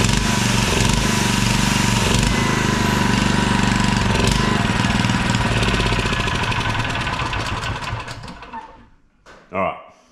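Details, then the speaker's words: $20 auction generator, rope-started: small engine thumping fast and steady, about four beats a second, running evenly under load before winding down to a stop; runs nicely. "it runs nice without the noise of the cter"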